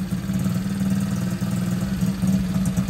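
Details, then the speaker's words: Masai 50 Black Road motorbike idling during repair. A small single with a low beat whose revs drift up and down instead of holding; the idle is hunting, cause unknown. "vue là c'est de la merde ça monte ça descend ça on [Rires] voit le régime"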